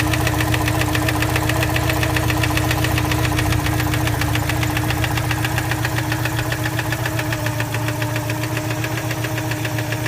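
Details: 1987 Citroën 2CV Special, warm idle: a noise that appears only after warm-up. Sharp, regular knock at about 220 per minute from inside the engine, not tappet noise. Cause unconfirmed.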